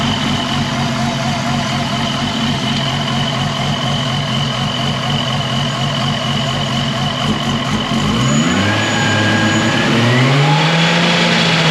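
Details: R33 with freshly fitted dump pipe: steady engine drone, revs fall and climb with a hollow buzzing resonance at certain revs; first suspected cam splash guard rattling on cam caps; cracked intake manifold.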